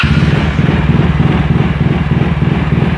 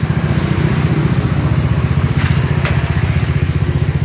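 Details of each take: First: Yamaha Mio J scooter with stutter and MIL flashing 15 times: idle surges and sags unevenly before an ECU reset with a scanner. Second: Yamaha Mio J scooter after diagnostic-tool repair of stumbling with MIL blinking 15 times: steady even idle thump about four beats a second with a brief throttle blip, settling back to smooth idle; normal idle.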